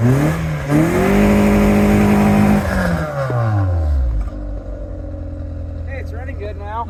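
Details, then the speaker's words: Car that sat since October and misfired, after cleaning plugs and Seafoam: revs climb and drop smoothly, then settle to even idle with no stumble or popping; now running good, normal. "God I love this car see God that smells lovely yep that's high mileage seafoam for you hey it's running good now"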